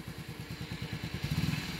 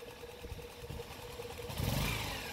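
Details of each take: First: Motorcycle after clutch side repaired and cleaned, weak battery (9.4 V on start), idle then slight rev: low even putter with no whine on top; earlier turbo-like clutch-side whine gone, clutch side back in condition. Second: Motorcycle (Rider/JFI mentioned) with a clutch bell that a mechanic cut and hammered, engine running and revved: a thin steady whine rides over the idle and climbs in pitch with revs; clutch-side whine.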